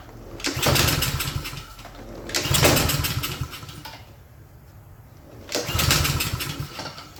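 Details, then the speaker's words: Craftsman self-propelled mower with a Honda engine, no-start, oil overfilled: three short bursts that each catch for about a second and fade, running only on starting fluid, with gas shooting out the muffler. The carburetor is flooding. "Got gas shooting out the muffler. I'm going go ahead and turn this fuel off."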